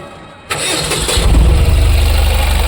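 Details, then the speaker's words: Tata BS6 petrol engine (tampered with, under repair) after swapping a relay: the starter whirs briefly, then the engine catches and idles roughly with an uneven low throb, and it keeps stalling repeatedly. The fuel pump is not powered. "लेकिन बार-बार बंद हो रही है। समस्या यहीं खत्म नहीं होती। इस कार में अभी भी कुछ समस्या है।"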